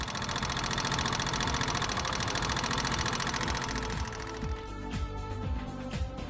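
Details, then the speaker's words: Kawasaki motorcycle engine at idle: a sharp metallic ticking from the upper engine that increases as the engine warms. Tappet noise from a loose tappet screw and nut or excessive tappet clearance; the fix is adjusting clearance with the engine cold. "Tapit noise. Listen carefully. A sharp metallic noise heard in the idling stage from the upper side of the engine, which increases with a rise in engine temperature."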